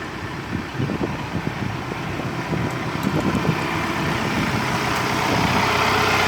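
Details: Raul King 55 HP tractor after rewelding the broken thin four-wheel-drive shaft cover that ground in reverse: steady even diesel rumble, no screech or metallic squeal; normal running.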